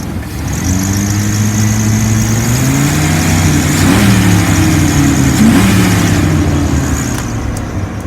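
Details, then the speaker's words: 1999 Dodge Ram 3500 utility truck, 5.9L V8 gas, automatic, 176,384 miles, jump-started and warm after running about 45 minutes without overheating. Smooth V8 burble rises cleanly with each throttle blip and returns to an even idle. Normal revving. "The engine sounds good. It's been running for about 45 minutes. It has not overheated. It idles smooth. It revs up nice."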